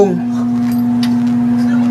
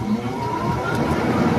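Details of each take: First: Window air conditioner humming loudly and steadily while its fan won't run; fan motor spins freely on its bushings, so the failed fan capacitor is the cause and gets replaced. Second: Window air conditioner after its fan capacitor was replaced, 3 µF swapped for 6 µF; steady, even fan hum, fan drawing 0.56 A, running normally before the compressor starts.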